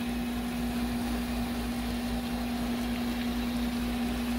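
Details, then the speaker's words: GE GTW460ASJ5WW top-load washer after lid lock replacement, which before wouldn't start: a steady hiss of water rushing in with a constant valve hum as the fill valves open and it fills normally. "already you see i've already heard this the valves opening up and some water going into the machine here and you can hear the water going in whereas before there was nothing happening"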